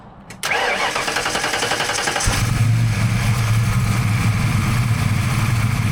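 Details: 1992 Ford Mustang Fox notchback, 347 stroker V8 with AFR 185 heads on Terminator X, after fixing swapped injector wires on cylinders 7 and 8; cold start catches right away and settles into steady, even rumble, no misfire; normal idle.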